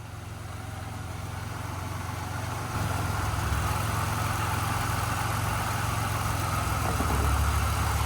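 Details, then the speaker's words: Supercharged car, one owner, 75,000 miles, sat a while, no check engine light, randomly stalls: idle hunts and wavers, dipping low and lumpy, nearly stalling; suspected vacuum leak or mass airflow sensor, unconfirmed. "It was wanting to stall right then and there."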